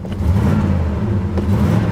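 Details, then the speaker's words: 1987 Chevy Monte Carlo SS V8 parked over 20 years, fully warm, oil pressure 30 psi: steady low drone never swelling into deeper roar; carburetor secondaries not opening. "I'll tell you what I don't hear, though. I don't hear the secondaries. Yeah, I don't hear the secondaries. You hear the secondaries on a car like this."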